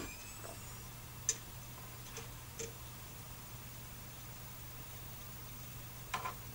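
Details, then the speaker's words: JVC DVD/HDD recorder (DR-MH300 series) after a reset: quiet, steady low hum with a few light seek ticks as the hard disk spins up, no grinding or scraping; the disk seems fine. "resetting you can hear the hard disk spinning now that's must be fine now let's try the 200 model"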